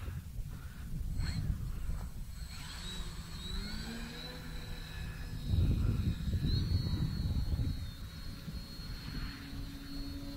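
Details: FT Freedom Fox V2 RC plane, maiden flight in SAFE mode with an AR630 receiver, cool breezy morning, heard from the ground: a distant high electric motor whine rises and falls smoothly with throttle, with no cutting out. The motor is healthy.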